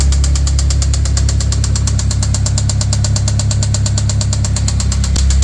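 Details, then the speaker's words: 1996 Eagle Talon DSM 420A engine, about 140,000 miles, sat a year and a half with stale gas: rough idle with a rapid, steady knock, several a second, over a deep drone. Owner suspects a rod bearing or something dropped on a piston. "it sounds pretty rough pretty rough I'm thinking either something dropped on top of a piston or rod bearing I don't know"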